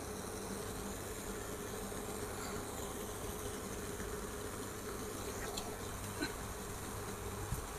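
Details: Induction electric stove brought in as showing an error, found to be fine, heating water in an iron pot: quiet, steady low hum with a soft buzz that never wavers. Operating normally.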